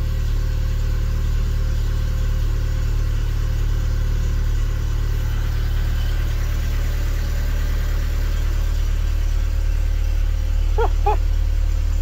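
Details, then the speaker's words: Isuzu Hombre pickup sitting 5+ years, 169 on odometer, cold start after fuel pump priming, fired immediately; smooth low steady idle, no misfires, knocks or ticks, normal idle. "Holy shit. I shouldn't have primed the fuel pump. Didn't even crank."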